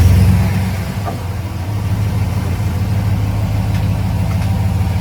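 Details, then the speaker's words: RAM 1500 DS/DT 5.7-litre petrol V8 HEMI after fitting replacement exhaust manifolds (LH & RH) for cracked-manifold tick: deep smooth V8 rumble revved then settling to even idle, tick completely gone; normal running. "Now we're going to give this thing a kick in the guts, a big 5.7 litre, see what she has to offer us. And you'll hear very clearly that the tick has completely gone."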